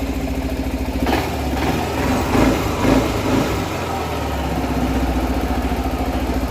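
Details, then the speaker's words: 2007-2016 Suzuki Burgman 400 scooter after reinstalling the fuel pump assembly, injector not yet cleaned, engine not yet warm, no FI light, no leaks. Steady, even idle putter, no hunting or surging. Normal idle. "Actually, that's probably the best idle it's ever had. That sounds really clean. It's like not even fluctuating."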